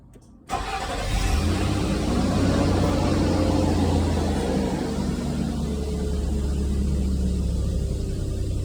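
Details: 2006 Nissan Xterra that had a no-start from ignition coils shorted by oil leaking from the valley cover gasket, blowing the 30 A ignition fuse: after the coils are reconnected the engine catches at once and settles into a steady, even idle.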